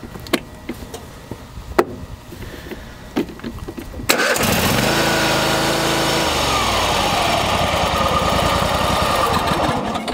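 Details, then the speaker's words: Troy-Bilt lawn tractor, long hard to start, choke cable slack; choke lever held up by hand with parking brake on: a few light clicks, then it catches first try and runs steady and even, a normal quick start. "and as you saw there it started up right away"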